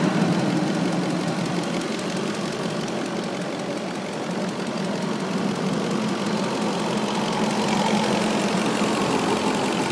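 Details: 2003 Audi A8 4.2 at steady idle: a light, fairly quick tick of about three per second over the idle, recently started, owner thinks from in or near the right side of the engine; source not yet pinned down.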